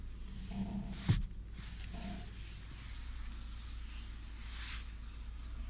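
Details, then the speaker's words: 2021 Lada Vesta in rainy weather, newer vulcanized anti-roll bar bushings: short low rubbery creaks and groans come and go; stabilizer bar bushings squeaking again despite the claimed fix. "Втулки скрипят, ребят. Не знаю, они там вроде как новый вариант, вулканизированные. Но у нас сейчас погода дождик. И реально втулочки-то опять скрипят."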